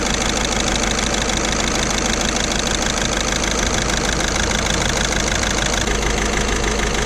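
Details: Diesel Skoda Octavia towed in with engine light and code P0201: loud, uneven, lumpy idle under the clatter as one cylinder drops out. A scope current test confirmed the number 1 injector had failed; it was replaced and coded with VCDS.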